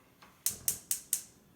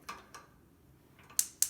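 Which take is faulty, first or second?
second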